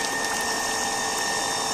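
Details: Household water pump after a fix to restore weak suction and flow: steady, even electric hum with a clean high whine and rushing water, pressure around 2.5 bar; pump runs smoothly and stronger than before.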